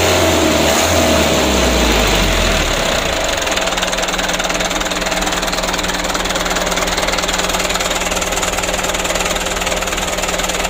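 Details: Mitsubishi Canter diesel after injection pump plunger replacement and pump adjustment: even clatter at a slow, steady idle of about 600 rpm, regular beat, no misses or hunting. Normal idle, repair completed.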